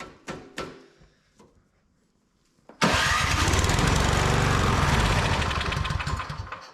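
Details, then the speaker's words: Older Craftsman MTD-built snow blower: a few pull-start rasps, then catches on sprayed carb cleaner and runs rough before fading; owner guesses carburetor plugged with old gas. "She runs. I'm guessing that carburetor's probably plugged up with filth, old gas."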